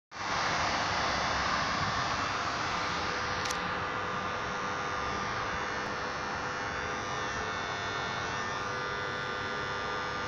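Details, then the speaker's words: Street light with 400 W HPS (DNaT) lamp and two-winding choke not lighting but loudly buzzing with a hissy edge: short circuit in the lamp socket, ballast running shorted. "светильник не горит но гудит причём громко гудит Это говорит о том что в патроне произошло короткое замыкание он тупо под коротким работает"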